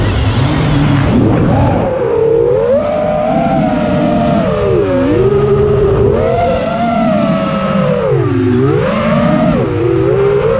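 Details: Quadcopter in flight after an ESC swap from LittleBee 20A to TBS Bulletproof 25A (signal cap removed), DShot 600, Betaflight 3.1.0-RC5. Motors whine and swoop with throttle, with rough buzzing layered over. Demag, timing and DShot 300 changes didn't fix it; cause unclear.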